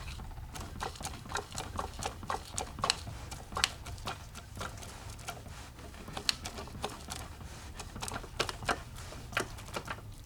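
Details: 1982 Mercedes-Benz 240D (OM616 912), 259,000 miles, engine off and rotated slowly by hand: irregular light taps and clicks from piston slap, as No. 3 piston had lost one side of its skirt below the gudgeon pin, with pieces in the sump.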